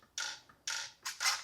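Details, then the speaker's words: Traxxas 1/16 Mini E-Revo VXL steering servo damaged after a skatepark crash, won't steer left: short strained whirring buzzes in four quick bursts as it jerks and sticks; binding steering servo, to be replaced. "all right so it's definitely getting stuck"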